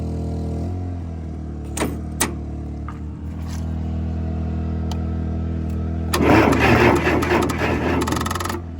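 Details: Case 580CK backhoe, batteries charging, jumper cable run to the frame and starter: engine turns over slowly in an uneven, labored rhythm for several seconds, then catches and runs after many failed attempts; starting system sounds weak.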